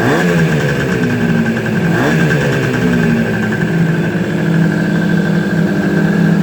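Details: Suzuki GT250, first start after rebuild: crisp two-stroke buzz climbing cleanly through a couple of blips and holding a steady fast idle; revs freely, normal revving.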